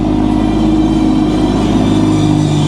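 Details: Early manual BMW M2, salvage-auction car with about 33,000–38,000 miles, soon after a cold start: strong, even, deep engine note held at raised revs, smooth with no knocks or rattles; sounds healthy.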